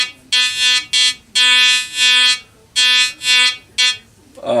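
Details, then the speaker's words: Compass Yukon 94B metal detector, probably mid-1970s, after repair; clean buzzy tone in short bursts as the coil sweeps, steady pitch without crackle or dropout; detector working normally. "I think it works. That's kind of cool. That's definitely working."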